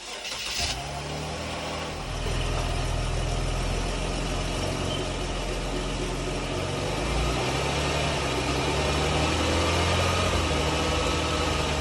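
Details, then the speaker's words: 2011 Jeep Grand Cherokee after driveline replacement for a clunk, retested at low speed doing circles: engine runs smoothly under light load, no clunk or vibration from the driveline. "we did it again after the repairs and the noise is gone [Music] there's no vibration"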